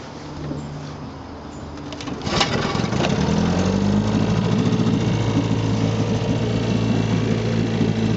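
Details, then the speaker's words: 1958 Johnson CD-15 5.5 hp outboard, 8.84 cu in two-cylinder two-stroke with pressure-tank fuel feed, rebuilt with coils, carb kit, fuel lines and impeller, catches and idles with a steady, crisp, even buzz; it idles beautifully. "they really idle beautifully"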